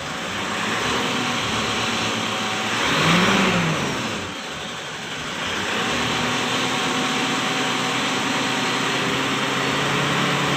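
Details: 2008 Mitsubishi Strada Triton Exceed automatic diesel blipped a few times; a light rapid ticking rides the clatter, louder as revs climb, heard at the engine top and side; fuel supply pump ticking.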